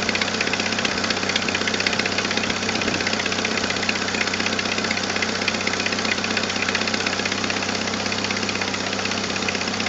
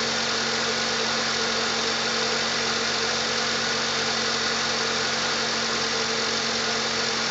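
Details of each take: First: 1997 Jeep Wrangler TJ 2.5L at idle with a leaking exhaust manifold gasket and a missing manifold stud: a sharp, steady tick about two to three per second, puffing in time with firing. The fix was a new gasket and stud. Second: 1997 Jeep Wrangler TJ 2.5L petrol after replacing leaking exhaust manifold gasket and missing stud and fitting a 4.0L throttle body: smooth, even idle with no ticking or puffing from the manifold.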